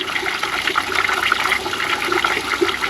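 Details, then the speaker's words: Ram 2500 with low cabin heat, heater core being flushed with a water hose at the disconnected inlet. A steady, unbroken rush of water with an even hiss just after a blockage or air gap blew out. The core now flows freely. "Now we have good flow."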